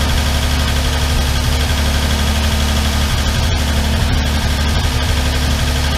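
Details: Armstrong Siddeley Star Sapphire special, hemispherical head, cold on choke just after first start in probably over 40 years: loud low idle with faint, loose ticking at roughly twice a second. All tappets a bit loose and need resetting.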